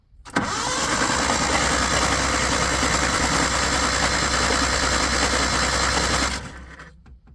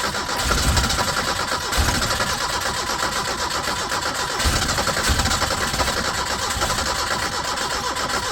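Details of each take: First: 1980 Chevy Luv truck, abandoned in a junkyard since 1998: starter churns the engine steadily for about six seconds with no firing; cranks but won't start, battery has charge, clutch had to be pushed. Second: 1980 Chevy Luv truck, abandoned in a junkyard since 1998, first start: brief crank, catches and settles into even, steady idle with no knocks or misses; runs well apart from smoke that gradually fades.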